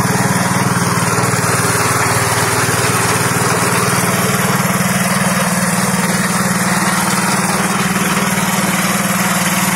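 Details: Fujijapan FJ601S 7HP tiller (2020 model), new, tilling soil: steady even single-cylinder chug, no knocks or misses; normal running under load.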